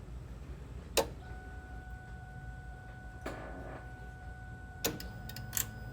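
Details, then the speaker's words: Newly installed fuel system with replaced pumps and lines, all empty, key cycled to prime: a key click, then a faint, steady high hum for several seconds and a second click; electric fuel pumps priming normally. "I hear the pumps. Like I said, the pumps, the lines, everything there has been replaced and it's all empty."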